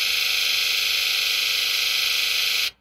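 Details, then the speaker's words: 1995 Ford 7.3L Powerstroke injector buzz test run from an Otofix EvoScan Ultra scan tool, all eight injectors at once then individually in numerical order; loud even high-pitched buzz with fast steady pulse: eight uniform buzzes, test passes. "and then individually in numerical order and we had eight uh uniform buzzes so everything on this truck as far as the buzz test passes"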